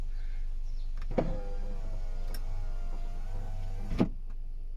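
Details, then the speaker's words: VW Eos power window being raised: motor hums about three seconds, then a sharp click and stops short of fully up; owner suspects finger protection (anti-pinch), cause unconfirmed. "okay did that again i'm gonna have to look into what that is like finger protection or something yeah see it doesn't want to go all the way up"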